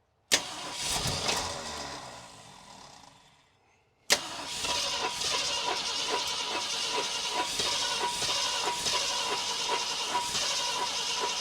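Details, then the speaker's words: 1966 Ford Galaxie 500 engine, previously somewhat stuck, first start attempts with fuel pumped in: catches with a bang, fades and dies within seconds, restarts raggedly, won't stay running; owner suspects it isn't getting fuel; fuel leaks once bowls fill. "It seems like I'm not getting fuel. I'm not. Dadgummit, what the heck?"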